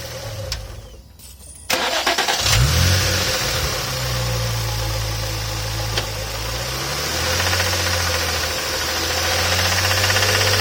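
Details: Infiniti G35 engine cranks and starts, then idles with a steady deep knock about four a second: cylinder 2 connecting rod spun a bearing.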